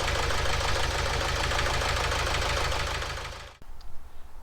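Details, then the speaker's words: Renault Trafic diesel left idling after EGR valve cleaning ticks over with a lumpy, uneven beat; rough idle, probable misfire; codes P0380 glow plug circuit and P0201 injector 1 circuit malfunction later found, glow plugs or injector suspected. "but it's still running quite rough here which I'm not happy about"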